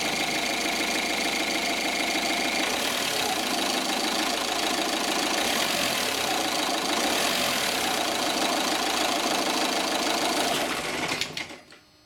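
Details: Opel/Vauxhall 1.9 CDTI diesel (Zafira/Astra/Vectra): idle with fast uneven rattle about three knocks a second, then shudder and jerk at shutdown; faulty throttle suspected, code P1125.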